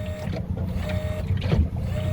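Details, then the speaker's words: Boat autopilot hydraulic pump steering an outboard: the pump whirs in short pulsing bursts with a faint whine, but the outboard doesn't move. It isn't overheated (pipe cold) and settings are fine; it worked earlier in May. "yeah you can hear a noisy of pump but no movement to the outboard so it's quite strange uh even when it's not even when it's not overheated"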